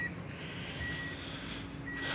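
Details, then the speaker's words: Tommy Kaira M25TW being converted from automatic to manual: bridging the green reverse wire on the gear-selector plug lights reverse, and a thin high beep repeats about once a second. The reverse beeper is working. "so just close these two you can hear the calls beeping there yeah reverse is illuminated"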